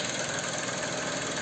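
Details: KIA K5 after replacing connecting rod bearings from below without engine removal for rod knock, idling after revs to about 4000 rpm: short even idle with a light consistent patter and no heavy deep knock; bottom end sounds healthy.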